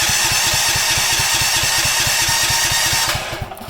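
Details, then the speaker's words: Brand-new Champion dual fuel 10,000 watt generator that runs fine on propane but not gasoline: steady fast cranking, about four beats a second, never catches; tech support advised tapping the stuck carburetor fuel solenoid. "the problem is even though it works great with propane i couldn't get it to work with gasoline and basically when you try to start it it sounds like this"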